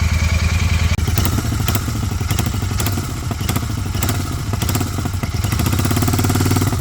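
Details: 2023 Royal Enfield Continental GT 650 twin: deep thump with loose rattling bursts flaring as the throttle blips, the "kat kat" noise, shown as the before sound after the fix.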